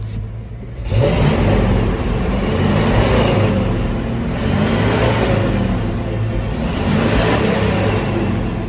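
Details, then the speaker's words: 1981 Ford F150 4x4 four-speed with EFI on a 1981 block, belt issue: revs surge in slow waves every couple of seconds with an uneven stumbling note; slight misfire/skip, improved from a much bigger one. "you can hear it surging it just went up and down again"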